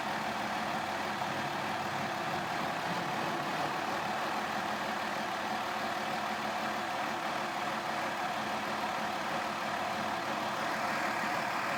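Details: 2002 Mazda Tribute petrol engine at cold start: uneven, shaky idle with a light rattle; stalls unless throttle held high; throttle body cleaned, oxygen sensors and spark plugs replaced without fixing it.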